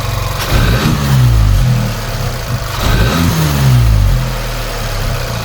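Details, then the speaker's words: VW Polo 1.2 TSI R Line after new plugs, HT leads and throttle body replacement, previously rough idling; steady idle, two clean throttle blips, revs drop straight back without sticking or missing. "just jumped in the car now guys to show you it's idling hell of a lot better than what it was and if i r it the revs are coming straight back down and not stick in"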